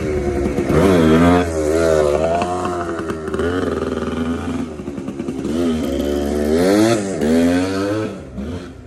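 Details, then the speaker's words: TC125 two-stroke dirt bike ridden under load on a cold day after a carb clean and a new fuel line with filter, not really on the gas: crisp buzz climbing and dropping smoothly, clean pickup, no bogging or misfire; it rips. "125 runs pretty good. I would recommend it. good. She rips. I wasn't even really on gas or nothing."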